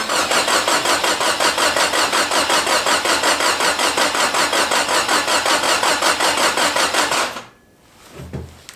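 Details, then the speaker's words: Long-sitting Datsun convertible with a replacement forklift starter and primed oil pump, firing order suspected off by two plugs: starter cranks steadily about 160 per minute for seven seconds without catching, apparently no spark. Crank no start. "all right still got no spark it sounds like so now I got a chart start checking the basic stuff"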